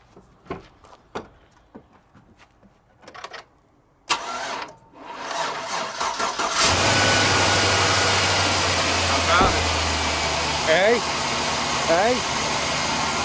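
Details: GM 5.3 V8 truck with a battery too dead to light an LED test light, jumped with a Beatit 600 amp jump starter: a few clicks, a brief crank, then it fires right up into a steady, even idle.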